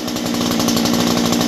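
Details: Stihl MS201T chainsaw, fully stock, about a decade old, worn and just deep-cleaned: an even, high-pitched buzz held steady with no stumbles or missed beats; normal running.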